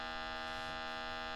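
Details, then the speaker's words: 1968 Selmer Vanguard tube amp fed 220 V through a 200 W current limiter, playing a test tone through its speaker: a thin, steady tone at low level with no crackle, so it runs but lacks power and volume; some other inputs give nothing. "it's lacking in power in volume let's try another Channel nothing on that one"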